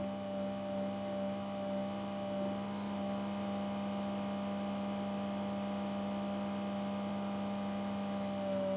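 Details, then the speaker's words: Original Hornby-fitted P2 Cock O' The North flywheel motor, removed and static tested off-load: starts turning about 4 volts and jumps into life; steady whine with pitch dips, speed varying considerably, slowing suddenly then recovering; motor speed surging. "the problem we know but also as it's running you can hear it varying in speed quite considerably slowing down all of a"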